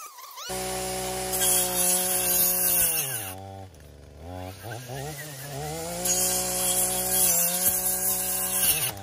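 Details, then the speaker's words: Echo PAS-2620 multi-tool with pole saw attachment: high two-stroke buzz drops sharply twice as the blade pinches in the cut, then recovers; engine bogging under cutting load. "It only bogs down when it gets like caught, when it gets pinched and then it catches."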